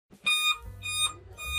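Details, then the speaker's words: Dell laptop powers on but repeats a clear high beep about every 0.6 seconds at startup, traced to a faulty WiFi card. "Laptop चालू है लेकिन beep sound आता है। अगर sound आ रहा है उसमें बीप साउंड आता है इसमें।"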